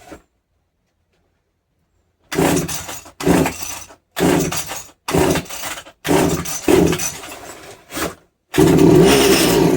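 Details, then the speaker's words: Strimmer unused for years, first start after tightening fuel-line connections; fires in short ragged bursts without a steady idle; split primer bulb feeding the carburetor found, possible fuel leak, idle may need adjusting. "Two is the pump where we're pumping fuel into the carburetor has split. I don't know if it just split or if it was previously split, but that has split."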